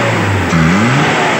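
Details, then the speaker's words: Daihatsu Zebra after carburetor tuned for economy (flat-surface jet): short sharp throttle blip rising cleanly then settling smoothly, no stumble or misfire; engine responding properly. "ini sudah dibat lebih irit jadi semoga sampai di Banyuwangi nanti normal dan juga bisa irit seperti sediakala"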